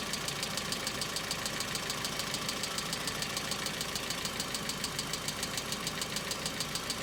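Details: Hyundai Accent cold start: crisp, very even ticking a bit over two a second above quiet cold idle, hydraulic lifter clattering before oil pressure builds; knock returns in repeated episodes, third building up.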